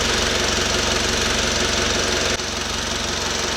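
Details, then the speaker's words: 2012 Mitsubishi Outlander 2.2 DI-D diesel with intermittent EGR code P2413 at idle: steady sharp, even knock about four times a second; strange noise, source unknown. "Але маємо таку ситуацію оцей звук дивний оцей звук є скільки часу"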